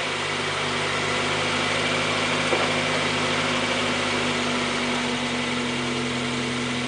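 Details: Mazda Miata (1990–2005 generation) idling right after timing belt and water pump replacement, radiator flushed and fresh coolant added, accessories on to check belt tension: steady, even hum with no knocks, ticks or belt squeal; healthy engine.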